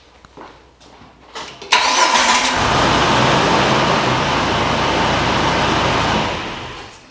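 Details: Jeep TJ with new starter that only clicked, after cleaning the battery terminals: a few clicks and clunks, then a brisk crank that catches immediately into a smooth steady idle. Normal start; cause possibly a bad positive battery connection.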